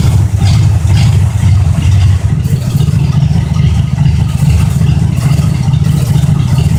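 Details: 1972 Oldsmobile 98 with 455 big-block V8, cold start; deep, loud, fairly even rumble with a brief light rattle from a vibrating loose part, not an engine knock; engine runs healthy.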